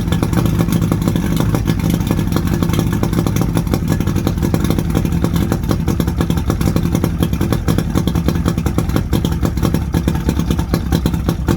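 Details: 1979 Steury X150 boat's 90 hp Johnson Seahorse V4 two-stroke outboard, out of gear, telltale plugged, steady at fast idle, firing evenly with no misses, rattles or knocks; runs good, could probably use new plugs.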